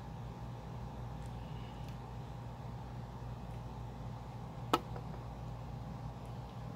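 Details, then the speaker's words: Inverter of uncertain 36V or 48V input, fired up on a battery bank at 46.5V: quiet steady low hum, one faint click, no beeping or red light, outputting 112V; running normally, alarm gone. "fired up the inverter there you go no more noise and the no red light and we're pushing 112 volt at 46.5 volt okay so it's working"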